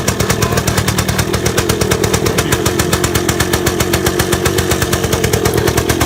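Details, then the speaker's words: 1978 Yamaha DT175 Enduro two-stroke, first run after reassembly, idling on choke while warming up: fast, even popping with no misses; sounds much healthier. Owner suspects piston slap and a rattly clutch basket; a separate rattle is the underguard. "It sounds a lot better, sounds Like a lot healthier."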